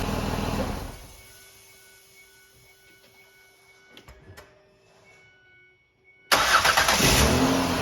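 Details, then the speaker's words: Ford Escape 3.0 V6 after alternator replacement: it starts and settles into an even, steady run with no knocks, ticks or misfires; the battery light goes out immediately and it is charging well. "Sounds good. The battery light goes out right away as soon as I start it. I think we're good."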